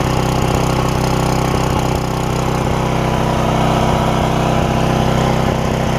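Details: Porter Cable generator, Briggs OHV, after bent pushrod replacement and governor repair (throttle had stuck wide open); run almost 20 minutes, steady even drone, no surging or hunting, only the slightest miss — normal governed run.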